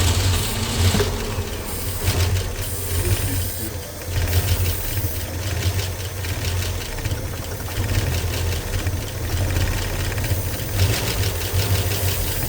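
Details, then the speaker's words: 1965 Ford Mustang 289 V8 barn find, parked 29 years, carb primed through a funnel: rough, uneven running that surges and sags, nearly dying; fuel spills from the carb top, jets suspected plugged, starving it. "So, we're going to It's not taking fuel through the carburetor, so the the jets must be plugged up or something like tha"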